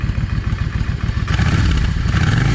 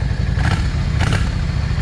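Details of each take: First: Yamaha 650 V Star, cold, after the front carburetor's 22.5 jet was replaced with a 25. Deep V-twin rumble swells and falls through throttle blips, clean, with no backfiring. Normal revving. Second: Yamaha 650 V Star. Rough idle with sharp pops every half second from the front cylinder, which runs lean. Owner suspects the idle jet is clogged or too small despite cleaning it several times.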